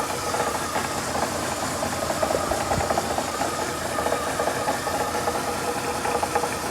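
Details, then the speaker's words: Lada Priora with 126 engine idling well but with a quick, steady metallic tapping. It appeared after the timing belt wore through and valves were set; metal shavings led to the cause, a crankshaft timing sprocket knock. "Посмотрите Может кто сталкивался что за звук вот на Приоре 126 мотор как будто железный звук какой-то"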